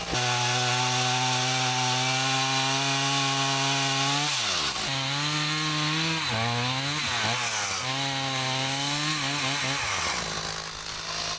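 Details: Husqvarna 162 two-stroke chainsaw, about 50 years old, repaired after not running, cutting firewood: high steady scream that dips and recovers cleanly in the wood; running perfectly with plenty of power; normal running under load.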